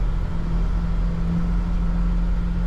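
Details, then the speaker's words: Airstream 350LE motorhome with a 454-horsepower American V8, after restoration, driving with overdrive engaged and accelerating toward 100–110 km/h: a deep, even rumble pulling strongly, with no vibration, shake or knock. Engine sounds healthy. "Tu vois il roule. Il n'y a pas une vibration. Tu vois, il n'y a pas une vibration. Puis tu vois, Oh là là là là. quand j'accélère, t'as vu ça? Ah, on l'entend."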